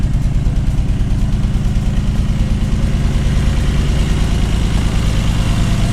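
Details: 1979 BMW 633CSi back on the road after 5 years, X-pipe near-straight exhaust: deep, steady rumble with even pulses, no knocks or ticks; healthy normal idle through a free-flowing exhaust.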